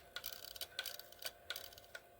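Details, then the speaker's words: Old Lionel whistling tender, retested on the track after reassembly; sharp, irregular relay ticking about twice a second with no whistle, and the motor never starts. The contactor on the magnet mechanism is suspected of not working properly. "think the contactor on the uh magneto thing isn't quite working"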